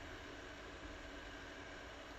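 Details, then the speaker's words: Creality CR10S Pro 3D printer extruder head cooling fan, new quieter replacement with fan duct, at 100% speed: soft even airy hiss, no ticking or rattle, far quieter than the old noisy fan; normal. "Voilà, c'est juste hallucinant comparé à l'autre qui faisait un bruit pas possible."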